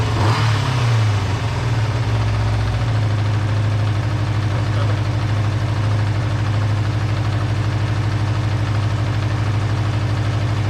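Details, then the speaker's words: Kawasaki GPz400R idling after road test, fixed by cleaning fuel pickup blocked by gummy old petrol, replacing inline filter and adding fresh fuel: brief blip then steady, even idle, slightly high idle lowered on adjuster; runs well. "runs well ticks over nicely it was ticking over a little bit high when i got back from the road test so i've just dropped that down on the adjuster a little bit"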